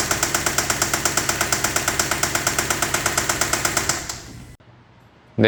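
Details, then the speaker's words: 2012 Kia K5 2.0 gasoline at 100,000 km, towed in, starts then stalls. Hard, even tapping about eight per second, then the engine dies. Scanner codes point to timing (chain/crankshaft); an oil or lubrication problem is suspected, not confirmed. "예 . 들으신 것 처럼 엔진 에서 매우 심각 하고 큰 소음 이 나고 있습니다 . 엔진 내부 에 뭔 가 고장난 것 같으니 먼저 고장 여부 를 확인 해 보겠습니다 ."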